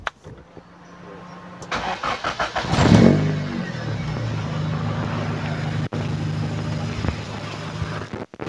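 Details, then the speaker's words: 1990 Honda Grand Civic, 1500 cc carbureted, aftermarket header: starter whirs, engine catches and settles into smooth, even idle, loud because of the header; no signs of metal contact or worn rings, engine healthy. "nah ini memang suaranya cukup keras karena dia udah pakai header seperti ini bagian depan mesinnya sebenarnya sih mesinnya masih oke masih cukup halus tidak ada ciri-ciri metal kena atau ring seer seer kena"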